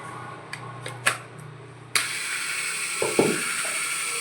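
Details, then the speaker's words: iBELL idiyappam maker under repair: a few sharp clicks at the limit switch, then the gear motor whirs up steadily with light gear chatter as reverse now works; moving the limit switch cured reverse failing, suspected from a too-long switch and friction. "பார்த்தீங்களா, இப்போ நமக்கு reverse வருது. அந்த சுவிட்சை just நான் move பண்ணதும் நமக்கு reverse ஆட்டோமேட்டிக்காக ஃபங்க்ஷன் ஆக ஆரம்பிக்குது."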